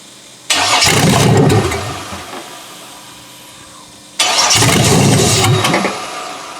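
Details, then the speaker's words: Junkyard 6.0L Chevrolet engine from a 2002 Chevy truck, pulled from a mud hole, first start on a temporary test harness: two short bursts of cranking and catching, each fading within a second or so. It won't keep running; fuel starvation suspected, not confirmed. "Like it's running out of fuel for some reason."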